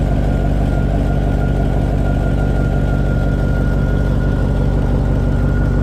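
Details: 2000 Chevy Tahoe 5.3 V8 idling on the lift after rear main seal replacement, checked for leaks; deep, even rumble with a faint constant high tone, no knocks or misses; running normally.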